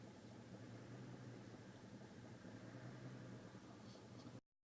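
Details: 1999 Jeep Grand Cherokee WJ 4.7 V8 idling with an uneven, hunting rumble and bad exhaust smell; owner suspects a vacuum leak, not confirmed; unstable idle.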